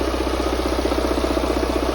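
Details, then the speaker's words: Mini 1.6 N47 diesel after timing chain replacement (chain had snapped) and engine refit, fuel lines bled: even, steady diesel idle with a regular rapid pulse and no knocks or misses; engine runs fine. "engines in and running so obviously still a lot of work to do got to get the front end on Etc but I know the engine runs it sounds fine"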